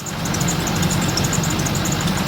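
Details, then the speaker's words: 2003 Chevrolet Silverado 3500 with a 6.6L Duramax diesel, idling: a thin, high chirp repeats several times a second from the serpentine belt drive, traced to a worn alternator pulley bearing. "something in there is a bit squeaky. Mongo wants to figure out what that is."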